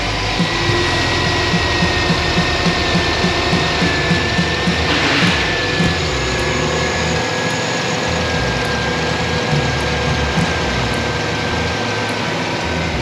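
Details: V6 Chevy pickup after a tune-up: even, steady idle with a faint whine on top and no knocking, misfire or stumble; runs smoothly.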